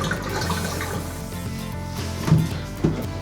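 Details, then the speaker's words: Bathtub drain after clearing slow drain, about 4 inches of lukewarm water released: steady gurgling rush with swirling vortex over background music; tub emptying freely, normal drain flow. "Oh, that is a good drain right there. Perfect."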